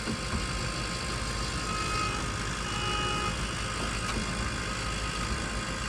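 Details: Diesel project truck at its first startup after a failed FASS fuel system was replaced with an AirDog: steady diesel clatter at a constant idle with no surging or hunting, under outdoor background noise. Normal idle.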